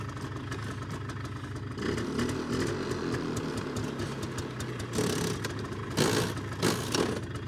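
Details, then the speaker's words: 2001 Polaris Xplorer 250 4x4 quad put into gear: uneven idle, then harsh grinding bursts on engagement, described as very grindy, typical older Polaris; cause unconfirmed, owner suspects clutch or transmission. "very grindy typical older Polaris oh oh oh that didn't sound good"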